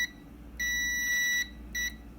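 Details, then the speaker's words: Karcher WD 1 vacuum that won't switch on: after the terminal was soldered, the continuity tester beeps in broken bursts instead of a steady tone, so the terminal connection is still intermittent. "del lado derecho si se dan cuenta lo estoy pegando y por momentos hace contacto y por momentos no eso quiere decir que aún tiene un fallo ok ahí porque estoy pegando al cable"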